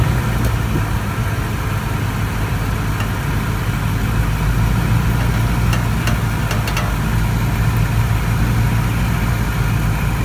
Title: 2014 Tundra Popping Noise Driver’s Side 1